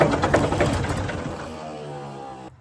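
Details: Previously seized Ford 4000 diesel tractor, fuel lines done, injectors 1 and 3 tightened, 2 loose: rough cranking catches into a short uneven diesel clatter that fades and dies; it fires but won't keep running.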